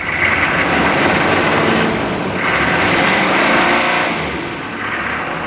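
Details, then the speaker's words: Chevy K2500 truck, 283,000 miles, cold start idling: loud steady rushing roar as the viscous fan clutch stays engaged with thick cold fluid until it suddenly disengages; small exhaust leak rattle also heard. "runs pretty well for 283,000 miles is that 500,000 km just about 450 that clutch Fan's not disengaging you see"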